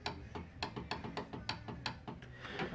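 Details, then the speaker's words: 2009-2013 Subaru Forester front passenger power window: with a power probe applying voltage in reverse, the motor gives steady sharp clicks, about three a second, but the window does not move. Fault suspected in the motor or the window regulator, not confirmed. "so i'm going to reverse it this thing will probably go down i'm thinking no i can hear it clicking but it's not doing anything"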